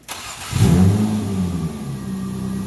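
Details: 2000 Nissan Maxima with an intermittent crank/no-start, after replacing the suspected starter: brief crank, catches within half a second and settles into a steady idle, no starter grind, less starter noise than before.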